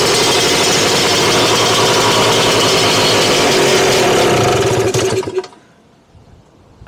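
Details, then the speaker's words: Freshly built Lambretta Series 2 two-stroke scooter after carb jetting check (plug was very wet): high, even buzz that fades after about five seconds. Revs rose because the fuel tap was off, so the engine starved of fuel. "yeah the fuel isn't on you that's why it was rising in reds because that's also a good sign as well"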